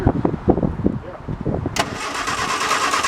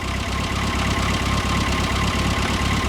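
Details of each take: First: 1973 MG Midget off the road for over 21 years, with SU carburetors cleaned and primed, cranked for the first time in 20-plus years. The starter spins steadily for about nine seconds with no firing pulse; no spark is seen, so the points are to be cleaned. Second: 1973 MG Midget small four-cylinder, first start after over 21 years off the road, about 50,863 miles on odometer; even steady low putter at idle with no knocks or misses; normal idle.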